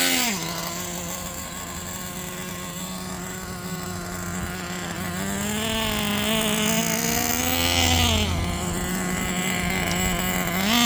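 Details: New engine in Jato 3.3 RC truck, first run break-in with quarter-throttle two-second pulses after tuning: high buzzing steady note rising and falling in gentle blips, running clean; normal break-in running.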